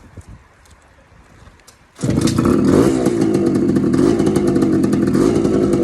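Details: TC125 two-stroke dirt bike after a carb clean and a new fuel line with filter, ridden on a cold day: quiet at first, then a crisp bark that holds steady and even under riding load; runs clean and healthy.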